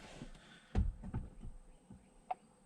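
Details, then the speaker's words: EVAP vent solenoid on a 2009 GMC Sierra 2500HD 6.0 L gas, commanded on/off by scan-tool actuation test while chasing a small-leak code: a few sharp isolated clicks in a quiet bay, valve switching normally though it may still not seal. "they could either get where can he hear that clicking which means the vent valve which means the vent valve should be working"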